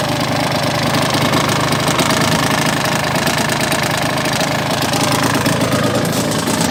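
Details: Yamaha DT125R two-stroke at idle: busy idle with a fast steady metallic rattle-knock over it; piston slap or bad crank bearings suspected, not confirmed. Engine knock.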